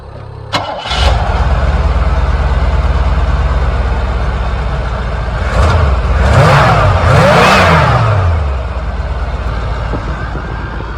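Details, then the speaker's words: 1986 Cadillac Coupe DeVille, sat in a field 5 years, after new lock cylinder and belt: cranks briefly, catches at once, steady even idle "like a sewing machine" with clean revs; smoke cleared, rings likely reseated; normal start and idle. "like a sewing machine smoke cleared up too which is nice"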